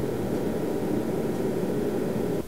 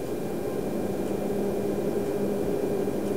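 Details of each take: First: The DP832 is a really nice instrument, but has a horrible, cheap and noisy fan. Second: Rigol DP832 power supply after replacing the noisy stock fan with a Noctua NF-R8, startup recorded with high amplification: soft, steady airy hum with a faint even tone and no rattle or whine; fan now almost silent.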